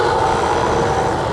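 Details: Outdoor AC condenser unit, customer complaint not cooling and loud noise, restarted after checking compressor capacitor terminals; condenser coil very dirty: comes up at once to a steady, even mid-pitched hum, no rattles or struggling; running normally.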